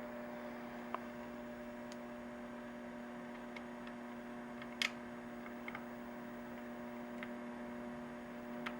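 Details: Macdonald CE 100 scanner: steady low electrical hum with evenly spaced tones under faint clicks, worsening when a certain capacitor is poked; possibly a failing filter capacitor; mains hum.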